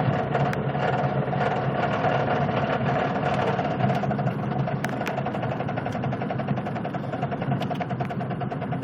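A light, uneven ticking of about three to four per second rides over a low engine rumble while rolling slowly; the cause is unclear.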